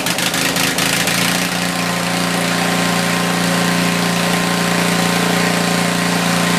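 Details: Tecumseh 4,000 W generator, 8 hp engine, running with a small drill load; starting clatters then loud even hum with fan whir. Normal running under load, making adequate power.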